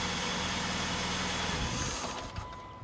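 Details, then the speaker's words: 2001 Saturn SC2 5-speed after a brake pad replacement: a quick throttle blip, then revs fall away cleanly and settle to a steady, even idle; engine running good. "all right go cars running good"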